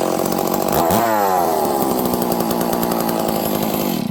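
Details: Stihl 038 Magnum chainsaw: steady even two-stroke buzz at a fairly fast idle, no stumbling or surging; normal running.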